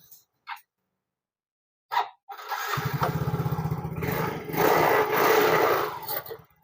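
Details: Yamaha fuel-injected motorcycle after cleaning a clogged injector, with ISC sensor setting left as-is: fires up after a few clicks, settles into an even beat and revs cleanly with no stumble or bucking. Engine now running normally.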